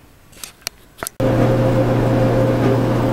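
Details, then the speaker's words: GE gas dryer, about 15–20 years old, with the belt, rear drum bearing and front drum slides changed: a few clicks, then a steady low hum and even drum noise, running normally. "okay it's humming yeah"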